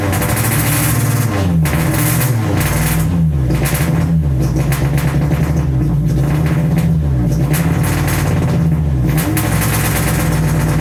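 Revs rise and sag unevenly with an uneven, stumbling note; hesitation and misfire from a bad MAP sensor and failing injector.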